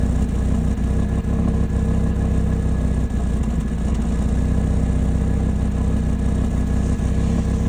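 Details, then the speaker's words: 2018 Audi RS3 (CTS intercooler and midpipes) idling: deep, steady idle with a faint uneven chug felt at stops; dealer confirmed a cylinder 1 misfire. "It was just every time I hit a stoplight or a stop sign, a red light, when I was idling, I could feel it. I could feel it in my butt. I could hear it. It was just kind of chugging a bit, right?"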